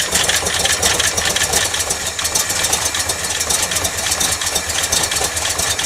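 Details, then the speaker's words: 1989 Dodge D200 on its first start after new camshaft bearings. Fast light ticking over a fresh idle with top-end clatter comes from a ticky lifter expected to quiet down soon; a leaking braided rubber fuel line was then found. "it's got a Ticky lifter right now but that should go away soon"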